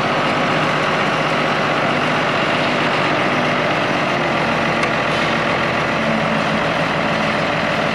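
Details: International IH 175C track loader diesel, sat a long time, freshly serviced with fluids and filters changed, run outside while bucket kick-out valve adjusted: steady even drone, no knocks, misses or surging; normal healthy running.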